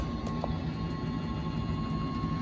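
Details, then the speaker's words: 2007 Keystone Cougar 318SAB RV slide-out room extending normally: steady low motor drone with a faint thin tone; winding and clicking sounds signal it is fully out and the button should be released. "again the same thing as the front one or the back one as soon as you hear the winds and the clicking you know to let off"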